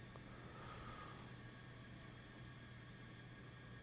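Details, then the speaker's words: Leak-down test on a resale Craftsman LT1000 riding mower engine with both valves closed: faint, steady airy hiss heard from the crankcase at 55% leakage versus roughly 10–15% normal for a worn engine, pointing to rings, bore or piston. Cylinder leakage into crankcase. "55% leakage. That's a lot. 10% is 10-15% is normal-ish for an engine with wear, but 55%, that's high. I can hear it in here."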